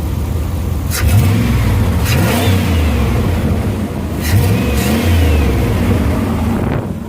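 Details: Truck with new headers, muffler removed leaving a straight pipe from the cat, exhaust leak still suspected: throaty deep exhaust rising and falling with two quick revs, louder and rawer than stock, yet not too loud.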